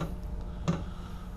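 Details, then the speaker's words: Chinese diesel heater, cold start after polar vortex near -30°: two sharp evenly spaced ticks about 0.7 s apart over low steady hum as the fuel pump kicks on; normal dosing pump ticking. "so can you tell it's cold fuel pump just kicked on"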